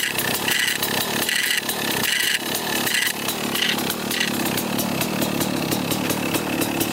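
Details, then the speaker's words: 1995 Kawasaki KX250 two-stroke running at revs after sitting, with a raspy metallic scrape in bursts when the clutch is pulled. The side cover is punched in, and a clutch screw is suspected of nicking its inside. "it's scraping pretty good you'll hear it when i pull on the clutch and you can you can hear it pretty good"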